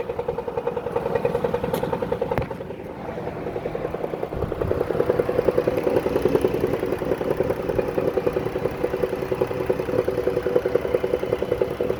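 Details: 2014 Dodge Caravan, warm idle: a steady, loose metallic clatter three to four times a second, most pronounced at idle once warmed up. Dealer diagnosed a bad flexplate, which was found badly cracked around the center.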